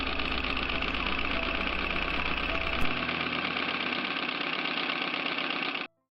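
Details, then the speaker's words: Singer 319W converted to treadle with steel coil spring belt: fast, even clatter and rattle at constant pace, no catching or uneven knock; noisy, like an old Model A running, but normal. "She's noisy. She sounds like an old Model A running or something."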